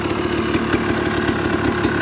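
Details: Used dirt bike being inspected before purchase, started with choke on: quick even single-cylinder idle popping with the clutch in, no ticking or knocking from the top end; clutch rattle when released is normal; engine sounds healthy.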